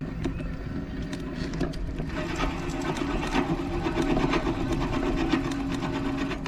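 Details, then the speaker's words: Bicycle disc brake: harsh metallic rasp pulsing about every half second as the wheel turns; pads worn to the metal backing at the lower edge though they look fine, rubbing the rotor; replace pads promptly. "nun seine Bremsscheiben zu schonen sollte man beim Auftreten solche Bremsgeräusche relativ zeitnah die Bremsbacken gegen neue austauschen"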